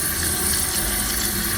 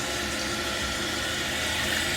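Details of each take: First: Running toilet before repair: worn fill valve lets water level rise too high, near the overflow tube top, water dripping out; very loud, later replaced with Fluidmaster 400A. Constant hissing flow with faint whistle, never shuts off: running toilet from worn fill valve. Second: Toilet after replacing fill valve with a Fluidmaster 400A universal fill valve. Steady rushing fill for about six seconds, then valve shuts off cleanly with no lingering hiss: normal tank refill.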